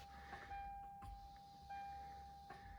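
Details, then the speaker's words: 1997-2004 Lexus GS300 ABS pump motor, after replacement and while bleeding the brakes; steady, fairly high electric motor whine at even pitch, the motor now audibly running where before only the relay clicked. "If you listen closely, you can actually hear the motor now. The motor's making noise. Before it was just this relay clicking."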